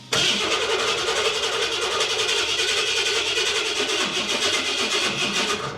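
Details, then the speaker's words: Big-block engine build cranking steadily about six seconds without firing; no RPM signal while cranking, fuel pump cutting prime with no fuel pressure; TFI harness suspected. "okay so I just cranked it over again we got no RPM signal so let's try and figure that out"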